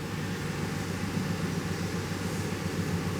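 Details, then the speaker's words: 2007 GMC Yukon 5.3L after repair of its classic misfire, shaking and stalling, started in clear flood mode. Nice cranking rhythm, then a smooth, even idle with no misfires. The knock sensor code is unrelated. "beautiful nice cranking Rhythm uh repair confirmed let's go ahead and run this thing beautiful Idol"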